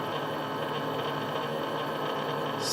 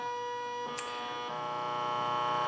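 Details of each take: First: Stepper motor at about 6.5-6.8 milliseconds per step: buzzing hum with rough, wavering edge as it hits resonance, skipping steps and jerking back and forth in both directions. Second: Stepper motor run across step times from 80 ms down to about 0.5 ms per step: steady, even whining tones with no skipping or stalling. Normal stepper motor running.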